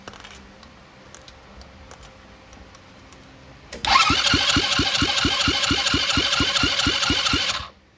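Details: Dazon Raider 150cc GY6 buggy, starter previously seized and freed, spark present, no exhaust fitted: starter spins engine about three times a second for nearly four seconds with no firing; cranks but won't start, cause unknown.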